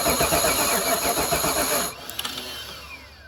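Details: 1994 Pontiac Trans Am GT, stored in a barn since 2005, fires roughly for about two seconds then dies; it catches on cranking but has no working fuel supply, fuel pump and system still to be fixed.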